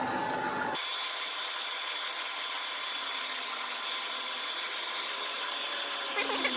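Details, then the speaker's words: Old manual three-phase lathe converted to run on single-phase 240V through a VFD, taking a deeper cut in aluminium: steady hissing cut, even motor whine, no chatter or knocking; running normally. "Take a little bit deeper depth of cut here. See if we can break some big chips. There we go. Nice. So, it works phenomenal with aluminum."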